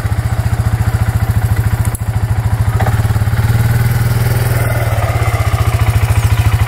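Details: Suzuki Eiger 4x4 ATV that wouldn't move, after replacing the drive belt (suspected chewed by a misfitted metal gasket): even, steady engine pulse about three and a half beats a second, no slipping or clatter; forward, low, high, reverse all work; normal running.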